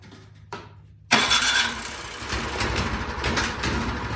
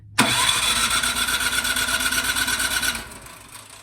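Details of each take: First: Craftsman snowblower with quiet-technology muffler that would not start after sitting all summer; after the carburetor fix, it is run partially choked and primed, catching on the first pull and settling into a steady, even putter. Normal start and idle. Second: Craftsman snowblower with quiet-technology muffler, sat all summer, on choke and primed, electric start: spins briskly about three seconds but never fires; spark confirmed, so the carburetor with old fuel is the cause.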